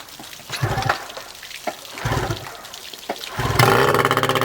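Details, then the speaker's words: Yamaha 15 hp two-stroke outboard on choke, run on 50:1 mix instead of specified 100:1: rough pull-start bursts, starts on third pull into a quick, even burble and idles fine. "one that was literally the third pull um yeah just put the choke on three poles fired up runs good idle's good"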